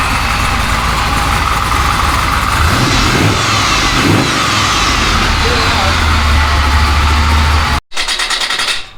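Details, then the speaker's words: Rock crawler just after repair work: engine runs loud and steady with a deep, even beat and a slight rise in revs, then shuts off; loud but sounds alright. "It's kind of loud though, ain't it? Like. Sounds alright."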